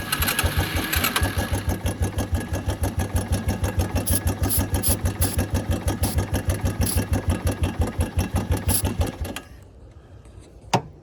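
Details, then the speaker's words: Suzuki Quad Runner LT160 ATV single cylinder, running on brake cleaner sprayed into the air intake: thumps evenly about nine seconds, then cuts out abruptly; fuel in the tank but owner suspects none reaching the engine, needs a carburetor clean. "The next step here, I think, is going to be clean the carburetor, so we have fuel. don't think we have any fuel getting to it."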